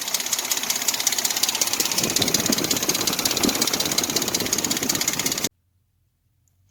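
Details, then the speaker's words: Dodge Dakota 4.7 V8 before timing chain replacement: fast, even metallic chatter over the running engine; loose timing chain slapping its guides. "that's what you're hearing the chatter on that chain now got it down to here as you can see here how loose this chain is that's the noise is here slapping up against there"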